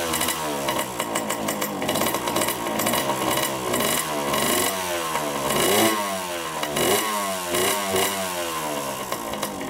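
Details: 1987 Honda CR80 two-stroke dirt bike, carb cleaned, choked first start: raspy revs rise and fall with throttle, never settling to idle; white smoke and milky oil, owner suspects coolant in oil and an air-fuel mixture screw needing adjustment.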